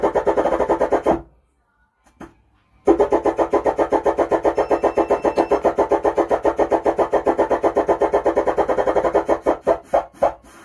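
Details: Stranger UB 75T 75-watt 12-volt amplifier on the bench while biasing voltage and preset are adjusted, mic volume raised: gritty rasping pulsing buzz with a brief dropout; the output is badly distorted.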